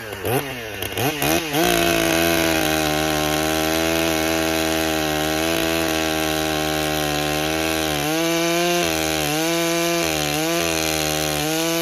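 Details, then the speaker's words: Stihl MS661 C-M chainsaw rebuilt after being declared a total loss, cold start on dry carburetor, first cut; high steady scream with gurgling dips, four-stroking while the mixture is still being tuned. "Now, you could hear that on that very first cut. go back and watch it again. You'll hear it four stroking is it's gurgling."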